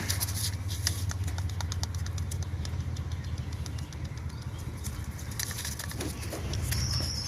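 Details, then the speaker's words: Belt-driven pulley turned by hand on a flood-damaged Ram with 3.6 engine: irregular dry clicking and crackling ("snap, crackle, pop") over a low hum; noise stops with belt removed; worn water pump bearing. "That's the noise I'm hearing. That is the exact noise I'm hearing."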